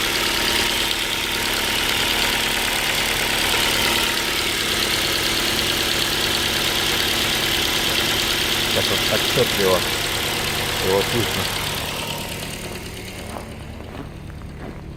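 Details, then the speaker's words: Ford Focus 2 with Duratec HE 2.0, cold engine at about 33–34 °C: steady idle with a light even knock about four per second resembling piston pin knock, fading as it warms; cause suspected, not confirmed. "Там стук появился. Возможно, слышно будет, и звук напоминает стук пальцев."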